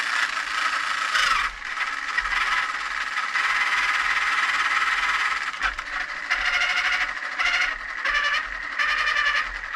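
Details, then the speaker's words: RC vehicle after swapping stripped stock gears for a new machined gear set: small motor whirs in short high-pitched bursts with smooth, even gear whine, no clicking or skipping; gearbox seems okay. "fun seems like it's okay"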